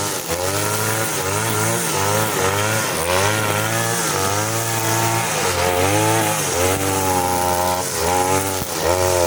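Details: Side-mount two-stroke brush cutter on the blade carburettor setting, running nylon line on short grass: high revs keep sagging and surging as it bogs under load. The mixture is set too lean, lacking power; the screw under the carburettor is then turned half a turn.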